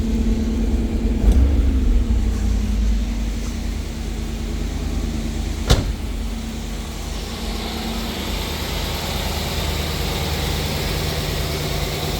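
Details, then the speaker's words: 1991 Pontiac Firebird, stock, 60,000 original miles, just started: a quick throttle blip rises and falls cleanly, then settles to an even low idle with no knocks or misses; runs responsive and healthy. "Up and running as it should. Lights. Motors aren't burnt, running good. Responsive. Give her a little tap."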